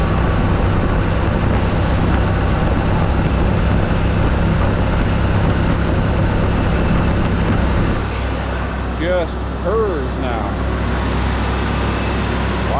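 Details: Mercury Bobcat Villager, after the exhaust leak was sealed with a pipe plug: low, steady idle with a soft, even rumble and no exhaust puffing or ticking. Healthy, quieter idle.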